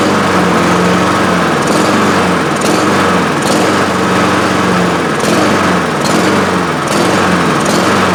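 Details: Honda HRR2156 push mower that runs then dies, despite a carburetor fitted last year: engine runs but surges and sags about once a second instead of holding steady; intake air leak found.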